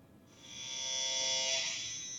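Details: 2006 GMC Sierra LBZ Duramax, 470,000 miles, P003A, low power until 2nd gear: commanding turbo vane position with scan tool gives a thin steady high-pitched electric buzz that swells and holds; actuator straining but vanes not moving, sensor stuck near 33%.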